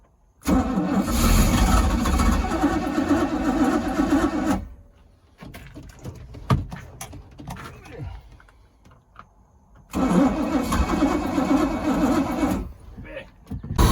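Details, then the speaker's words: 1979 Bayliner inboard V8 started with water hose on, choke rusted and sprung open, fuel pump tube disconnected: healthy starter, fires straight into steady idle, briefly quiet, restarts and runs smoothly. "There we go. Woo, that starter sounds healthy. Sounds great."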